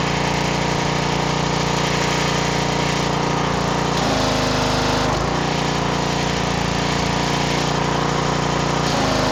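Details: Gas pressure washer after sliding the soap siphon control back (it had been forward, lowering pressure): small engine holds a steady hard drone under load with brief pitch dips; running normally.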